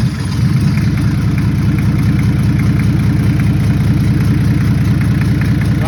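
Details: Toyota 1HZ diesel, 75 series LandCruiser parked 12 years, first start after priming fuel and glowing plugs; catches and settles into a steady, even idle with low clatter about two and a half beats per second; normal idle.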